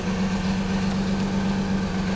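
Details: 1991 Nissan 300ZX at idle, noise goes away when warm: steady hum with a busy, uneven rattle; slack timing belt from a collapsed tensioner, upper and lower idler pulleys also noisy.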